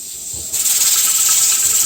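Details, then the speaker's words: Pressure canner at pressure during 90-minute processing: sudden sharp steam hiss jumps up and holds as the weight lifts and rattles, venting a couple of times a minute; normal pressure regulation. "And it rattles again. So, we'll be listening to that for the next hour and a half until it's done."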